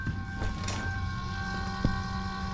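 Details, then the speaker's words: Duramax diesel swapped into a drift truck, electric lift pump priming the fuel filter with fresh diesel before first start: steady fine electric whir over a quiet background until primed; normal priming. "can hear the pump running. Oh! Hey, it's primed."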